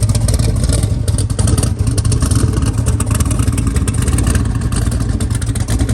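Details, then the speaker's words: Twin-turbo LS-swapped SN95 Mustang on Holley EFI, very first start: a strong, even V8 rumble with steady revs and no misses once settled. It needs tuning and is low on fuel. "oh yeah got a little tune work to do but she fires right up"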